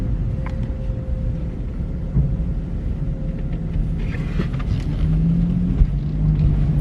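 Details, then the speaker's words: BMW cabin after door seals were replaced to cure creaking, crawling over a steep twisting ramp: steady low rumble with no creaks or groans, the quietest since new. "Silent. That is amazing. That is awesome. I've never heard it so quiet since the day that I got it."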